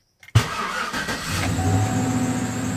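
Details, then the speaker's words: 2011/2012 Chevrolet Silverado that cranks but won't start: short crank, then catches and settles to steady idle while the harness is moved; test light shows ECM relay ground dropping out intermittently, fault in harness or fuse box. "cuando yo muevo aquí el ramal cuando suena se ve que se pierde la tierra"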